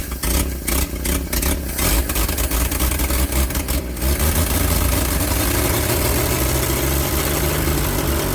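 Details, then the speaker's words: Engine started after sitting 30 years, oil pressure near 50 psi when revved, slight smoke as rings seat: rough, uneven blips early on, then settles to a steady, even idle with a firm low hum; normal running after long storage. "I just smoked a little bit but it ain't been ran in 30 years so it needs to seal the Rings"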